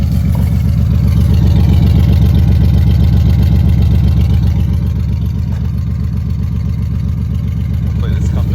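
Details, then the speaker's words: Warm 3.0 Ford Ranger with a new cylinder head, fan clutch removed, no catalytic converters and check-engine light on, with Lucas additive added; idles with a steady, even exhaust pulse and no misses; earlier it had run a little rough. "okay yeah I got parked out here in the Rocks now oh running good got the heat on in here trying to keep it cool"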